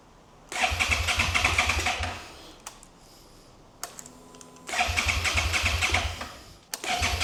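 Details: 2011 Suzuki SFV650 Gladius, fuel pump removed and refitted, fresh fuel added: two bursts of fast starter whirring, about two seconds each, never catching; cranks but won't start. Owner says no spark; FI light shows codes C13, C14, C17, C23, C29.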